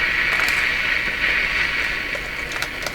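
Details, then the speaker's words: Nordmende Traviata 59 tube radio, after replacing two old IF-stage capacitors, with a proper antenna clipped on: louder but harsh, hissy, crackly, shrill sound with no clean programme; reception badly distorted, cause not found. "Lots more volume. Not very reassuring how that sounds. They all sound pretty distorted."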